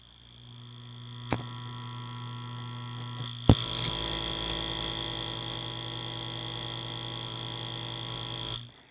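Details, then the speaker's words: Small vintage electric motor with brass end plates, copper bushings and cloth-insulated coil, running: a faint, steady electric hum with a thin high whine, even from start to stop, running smooth and quiet. "I wasn't sure if you guys were able to hear that or not, but it runs. And it runs beautifully. Very quiet little motor."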